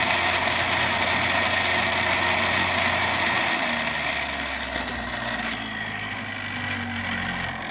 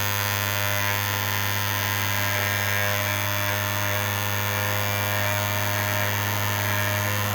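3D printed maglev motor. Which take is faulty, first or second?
first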